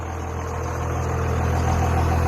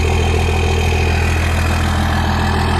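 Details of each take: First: Diesel truck described as somewhat smoky, with a squeak noted elsewhere: deep steady rumble rises as revs build, with a faint climbing turbo whistle on top. Normal turbo spool. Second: Diesel truck idling with turbo spool audible; steady deep even drone broken by short high chirping squeaks coming and going; intermittent squeak at idle, source not pinned down.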